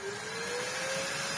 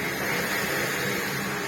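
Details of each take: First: Large Electrolux vacuum with a paper bag fitted: a smooth, steady motor whine creeping slightly higher with even airflow and no rattles. Healthy running. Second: Large Electrolux vacuum, lightly used, with its power head running: a harsh, rough roar with an uneven rattly hum over the suction noise. The brush roll stops spinning as soon as the head is put down; the power head brush motor is failing.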